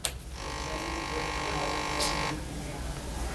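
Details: Suzuki GSR 150i fuel-injected motorcycle at ignition key-on: faint steady electric whir for about two seconds then stops, the fuel pump (with integrated injector) priming; normal, not a fault.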